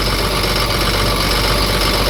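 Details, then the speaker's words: Ford F750 Cummins diesel that sat for years, idling with a seized alternator pulley; uneven beat with an occasional skip, owner suspects an injector. "See if I can get it loose. It's running, but it's got a skip."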